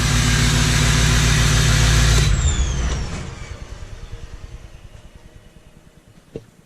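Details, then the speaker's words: 1977 Ford F250 crew cab with swapped 6.0L Powerstroke diesel; loud, even diesel roar with high turbo whistle that falls away as the engine is shut off and spins down; owner calls it a screamer; normal running with turbo whine. "that's the old girl she screams she's a screamer"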